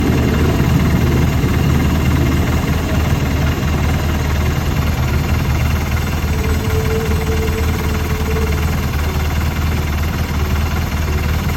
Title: 2011 R1200RT Rough Idle or Normal?